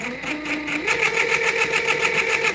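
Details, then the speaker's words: Axial Bomber RC crawler after motor upgrade, gear mesh check: loud raspy high-pitched whine rising with motor speed, fast gritty buzz; pinion meshed too tight against the spur, to be adjusted. "See, that's too close. That sounds atrocious."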